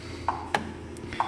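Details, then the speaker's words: 2009 Ford F-150 4.6L with a recurring P0446 code: the evap vent solenoid is commanded on and off, giving four crisp clicks in under two seconds. It responds normally and the circuit is complete under the car's control. "at any rate we know that it works because we hear it"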